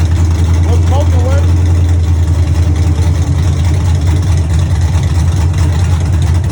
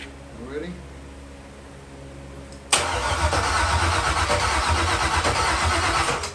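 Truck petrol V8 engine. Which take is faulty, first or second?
second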